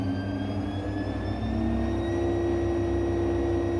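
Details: AEG 7000 Series Lavamat washer, brushless motor spinning up to full speed: smooth motor whine climbing in pitch with slight squeaking, no grinding or knocking; normal brushless motor sound, no fault.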